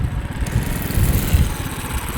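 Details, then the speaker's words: Monster Moto mini bike with stage 1 kit (header, pod, intake, carb jet) fitted with stock Honda Grom muffler, pulling away under throttle: low soft single-cylinder putter, no rasp or popping; normal quiet exhaust. "Isn't that quiet? That's super quiet."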